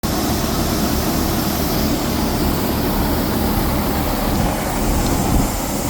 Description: Our AC Unit is making a hissing noise